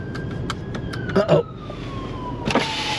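Steady electric motor whir with a slowly falling tone as the glass travels, smooth and without grinding or clicks; window motor working normally.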